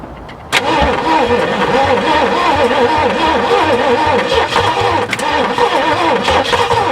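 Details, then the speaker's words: A 1967 Ford F100 makes its first start after sitting 29 years, after much gas and a pop into the carburetor. It fires, then runs ragged with a wavering pitch and irregular stumbles. Owner suspects the carburetor and plans to swap it. "she fired she fired um yeah um didn't sound too good but also that carburetors jump"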